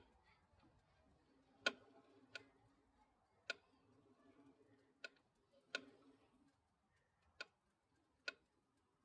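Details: Honda SH350i scooter, engine off, wheel turned forward: sharp, irregular intermittent clicks from around the clutch area, absent backwards and sometimes not at all; 600 miles after recall 3PE driven face kit replacement, owner suspects that; final drive oil change didn't help.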